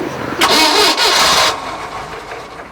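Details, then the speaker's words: 1968 Starcraft Islander with a 120 hp MerCruiser inboard-outboard, after winter storage, cranked on a jump starter pack (12.1 V): a brisk, even starter spin for about a second. Normal cranking. "What? That thing whips it over like it's a fresh charged battery."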